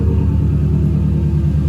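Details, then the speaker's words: Self-built boxer engine idling with custom true 3-inch exhaust from a fabricated V-band downpipe, no catalytic converter, Y-pipe out the back: deep even rumble, steady low beat, no misses or ticks; idling smoothly. "As you can hear, this thing's just purring. It runs amazing. Absolutely amazing."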